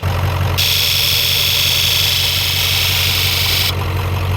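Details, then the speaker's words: 1996 Ford F-250 7.3 Powerstroke that sat 10 years (veggie-oil conversion), key-on engine-off injector self-test via scan tool. A bright, even electric buzz for about three seconds with no dropouts. All injectors fire normally. "and then one by one so there's any blank spots then you have a dead injector honestly all these sound great"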